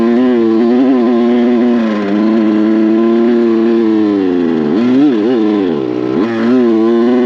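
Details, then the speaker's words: Kawasaki KX100 two-stroke on a paddle tire in sand, first ride: strained, wavering wail sags and dips at wide open throttle instead of pulling cleanly, like a rich bog; owner suspects the carb, the small tire or too much tire pressure, unconfirmed. "Or got this carb running better. I didn't think it'd be this bad. It sounds like shiitake."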